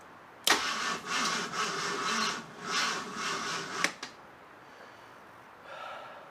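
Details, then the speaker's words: Barn-find 1975 AMC Matador Oleg Cassini, not run in 30+ years. Spark confirmed, gas poured in the carburetor bowl, an unidentified clicking heard. The starter grinds about three seconds with labored surges and no catch: the battery is too weak. "come on this battery is weak weaker than weak"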